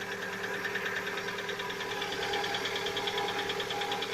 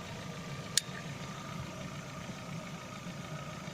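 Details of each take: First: Lada Vesta at 70,000 km, cold start: rapid, even light knocking about three per second over the idle. The owner calls it piston knock, not hydraulic lifters. It knocks for one to two minutes, then quiets, and appeared only recently; the oil had been changed to the same oil. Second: Lada Vesta, 70,000 km, warm engine at idle after cold-start piston knock (owner says not hydraulic lifters): quiet, even idle with steady low hum, no knock, belt not rustling, one brief click; runs smoothly when hot.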